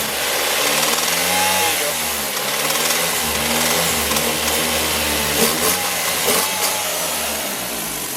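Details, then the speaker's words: Car on the lift, awaiting an engine swap after a blown turbo: revved hard, it gives a rough, raspy sound with an uneven beat underneath, consistent with a spun rod bearing knock; a massive exhaust leak is also suspected. "We're setting this customer's car on the lift right now, and this sounds like this car has a spun bearing on the motor."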